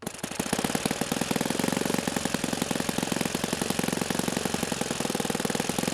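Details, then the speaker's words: OS FS-91 Surpass four-stroke nitro RC engine, hot, high-speed needle deliberately leaned past peak: running hard and fast with rough uneven rattle on firing beat; lean detonation knock, richened to cool. "intentionally a little bit of knocking right there the engine was hot so what i do here is i richen it up to cool things off"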